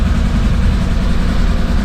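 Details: Off-road vehicle idling after first start in a few weeks, following oil change and refitted driveshaft, front differential and front parts: steady low rumble, even beat, no knocks or misses; water pump known slow; normal idle.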